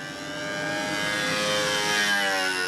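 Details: High, steady buzzing two-stroke note holding even pitch with slight drift as a control-line model plane passes on a hot, calm day; needle set where wanted; normal run.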